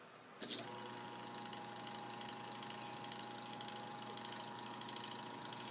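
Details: Mini sanding machine after a fix for not spinning and buzzing, with the run capacitor replaced: steady, even electric hum at constant pitch with no buzzing or stalling; the motor spins up and runs smoothly.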